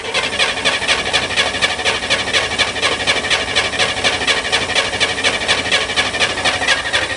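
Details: Corvair-powered Spyder, cold, with an electric fuel pump and a four-barrel carb; the owner smells fuel: even starter churning at about two beats a second with no catch or change. The engine cranks steadily but never fires.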